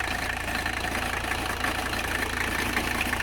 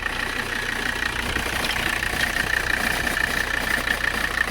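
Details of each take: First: 1985 Mercedes 300CD diesel idling after a cold start at about 40°F; the fuel tank cleaning seems to have helped greatly. Steady, even, unhurried light clatter with no stumble or misfire; normal diesel idle. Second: 1985 Mercedes 300CD diesel idling while warming up in cold weather, temperature creeping up. Diesel clatter with a thin, steady, high chirp on top; the owner thinks something may be wrong with a pulley, cause unconfirmed.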